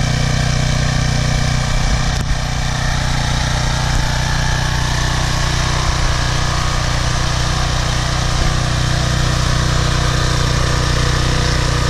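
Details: Briggs & Stratton 190cc 8.75 engine on a PowerFlow Plus Technology 3000 psi, 5.0 GPM pressure washer, after sitting over a year, now runs with a deep steady chug and no surging or misses. The carburetor's clogged bowl screw jet, oil and dried gas were cleaned out, and it now starts and runs healthy.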